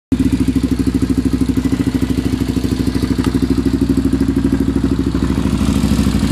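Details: Honda 400EX idling: sharp, even ticking about three per second over the single's thump, a top-end tick; owner suspects the valves badly need adjusting.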